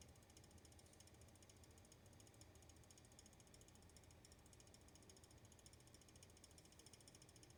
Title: pc rattling noise